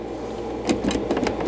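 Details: Black HMV 102 gramophone, spring motor run before servicing: a spinning motor hum broken by sharp irregular clacks every fraction of a second, caused by all four loose mounting screws under the turntable; needs a full motor service.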